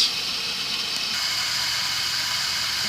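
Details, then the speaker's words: Culligan Medalist Series sulphur filter checkup, valve returned from bypass after eductor and nozzle service, two-minute backwash cycle: steady, even rushing hiss of water with no gurgling, surging or chatter; normal backwash flow. "remove it off bypass when it is in bypass and off of bypass back in just a quarter turn you're gonna go ahead and let it backwash for 2 minutes"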